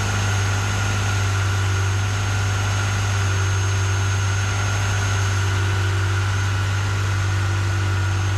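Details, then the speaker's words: Repaired Ferrari 355 V8 at idle, with the earlier misfire and exhaust leak or rattle gone; a deep, even, smooth hum with no misses or ticks. Normal idle. "It's quiet. No more misfire. No more misfire, no more like exhaust leak or rattle or whatever it was. That's smooth. Very smooth."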